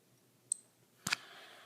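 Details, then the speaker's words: Skateboard wheel spin test (stock Abec-7 vs Bones Super Redz bearings): a timer beep, a sharp flick, then a soft fading hiss as the wheel spins, caused by the bearing's inner part moving around on the axle. "okay so you could hear that hissing sound and that's kind of actually the inside of the bearing moving around on the axle"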